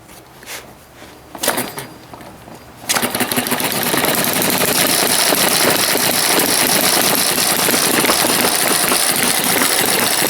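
A few early pops, then a steady, fast chuffing about three beats a second with a bright, rattly edge; the little engine runs evenly.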